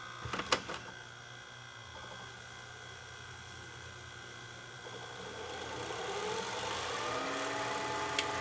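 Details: JVC HR-FS1 vertical VCR with a broken main cam: clicks of the mechanism engaging, then a smooth, rising whir as the tape spools back without jamming; regular rewind works, though fast forward breaks it.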